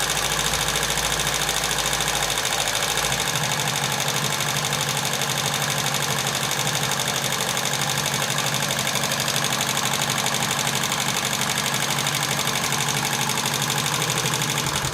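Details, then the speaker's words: TVS XL100 (Super XL 100cc) kick-started, before tappet adjustment: quick light ticking about three a second over a steady idle until the engine cuts. Noise is from loose tappet clearance. "ఇంజన్లో కర్ర sound వస్తుంది కదా, ఆ sound అనేది ఒకసారి గమనించండి friends. ఇంజన్లో మనకు different sound అనేది వస్తుంది."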